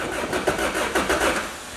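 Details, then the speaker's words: Wrecked 2006 Lotus Exige with Toyota engine, bought at auction, not run for a while; jump box reads 11.9 volts; strong even cranking with no firing pulse: turns over but won't start, owners suspect a fuel cutoff or safety switch. "Hey, it's spinning over. It's going. It sounds like it wants to."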